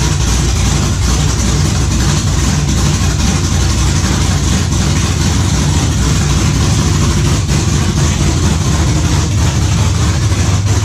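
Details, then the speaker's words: '91 Camaro Z28 with swapped built 5.3L LS, Holley Sniper EFI, MSD ignition, Texas Speed cam, open headers, after fixing the pulled tach signal wire: loud, lumpy, steady cam idle, no misses or knocks; runs pretty good; normal idle. "hook the wiring up the way it's supposed to be thing seems to run pretty darn good"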